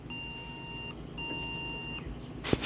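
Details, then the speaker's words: Yard-sale desktop PC, battery reseated and RAM reseated twice: two long steady high beeps with a short pause; POST beep code, owner suspects bad RAM. "oh we're getting the same thing as before could be bad Ram I reseeded it like twice"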